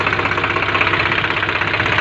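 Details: Swaraj 735 tractor diesel after rebuild following a seized piston from overheating: steady, even idle with no knock or rattle; normal running.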